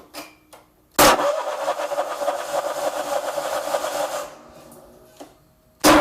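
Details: Vanguard 35 hp road cutter that won't start after long storage, battery jumped: about three seconds of cranking chug that never catches and dies away; fuel not getting through, traced to a stuck carburetor fuel solenoid.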